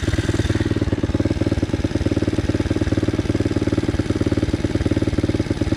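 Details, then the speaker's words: Loncin 110/125 single-cylinder engine during break-in testing, about 10°C: fast, even putter near 140 beats a minute with a slight lumpy edge; fuel spilling from the carburettor, flooding. "paliwo się wylewa"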